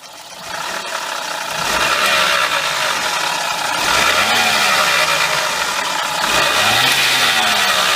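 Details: 2002 Mazda Laputa (HP22S, Suzuki Kei OEM) engine noise: rough, hissy whir under idle and revs that rises and falls with engine speed; cause was the water pump.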